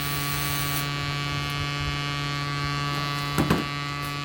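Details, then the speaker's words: Sound Bridge SB-3500 DP amplifier, powered into a small test speaker with the cover open: steady low buzzing hum with a whiny edge. Mains hum from a factory fault, with 2200 µF 25 V driver-board capacitors fitted instead of the 1025 µF specified. "Friends sound వస్తుంది, విన్నారా? ఈ sound పోవాలంటే friends actually ఏంటంటే ఇది మ్యానుఫ్యాక్చరింగ్లోనే complaint ఉంది."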